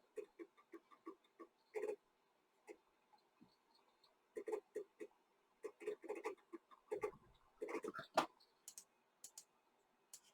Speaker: so can I copy anything over to this oh there we go hear that nice servo okay clunk clunk